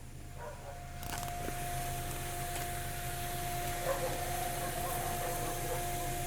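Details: 2002 Ford Escape with a steady mid-pitched hum over low road rumble that appears after driving for some time; the source of the droning is not yet clear.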